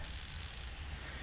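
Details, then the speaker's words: New Koozer XM 490 rear mountain bike hub with 72 points of engagement, spun by hand before lacing (32-hole), replacing a 15-POE hub: quick, fine high-pitched ratchet buzz fading out, even clicking, no rough spots; normal freehub. "It's a Koozer mountain bike hub, XM 490 rear with 72 points of engagement. Listen to that."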